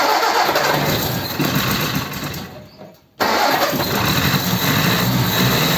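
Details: Ford 100E project car with non-charging issue, after refuelling: brief drop in sound, then the engine catches and settles into a steady idle without stumbling or misfiring — normal start and idle.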